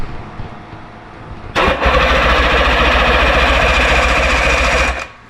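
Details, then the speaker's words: 1958 Johnson Super Seahorse V-4 outboard, unstarted 5+ years, on choke: about 3.5 seconds of steady cranking chug, roughly four pulses a second, no firing; spark confirmed, owner suspects insufficient fuel delivery, magnetos possibly dragging. "So, I think this is just a matter of getting fuel to these. That's all it is. More fuel to it."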